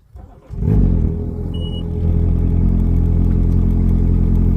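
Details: 2009 first-generation Evinrude E-TEC 130 hp outboard being winterized, on a garden-hose flush muff with the high idle lever raised: cranks and catches in under a second, then settles to a steady raised idle with a brief beep; normal fast idle.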